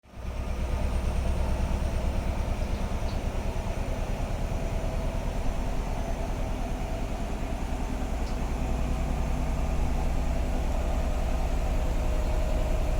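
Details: Bosch WAT2846SIN 8kg washing machine spinning at maximum, about 74 dB: deep steady drum rumble with an even fast thump, about three a second, holding level; normal spin cycle.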